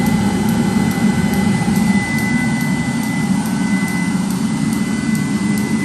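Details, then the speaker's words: 30,000 BTU/hr multi-fuel fuel-fired personal cab heater for a 1973 M35A2 deuce and a half, on 24 V (about 24.3 V), just lit on high after brief howling at ignition, giving good heat: steady low burner roar, even fan hum, faint high whine, no surging; normal running. "And you heard it howling there a little bit like I was talking about. Now it's running. Good heat."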